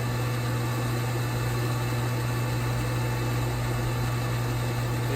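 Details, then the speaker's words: Old Infinity Spas hot tub, pump number two after its motor was rebuilt for a worn bearing and its wet end replaced. It runs with an even, steady low hum and no grinding or knocking, sounding much better than its earlier racket. "now pump number two this is the one to be rebuilt that was making such a racket that sounds so much better"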